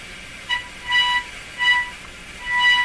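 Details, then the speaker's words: Grundig 2030 AM/FM tube radio being investigated for low FM output, fed a signal-generator tone through a short wire antenna: bursts of a 1 kHz tone with harsh, buzzy overtones, so the received audio is clearly distorted. "okay now that's a fairly good signal sounds distorted to me"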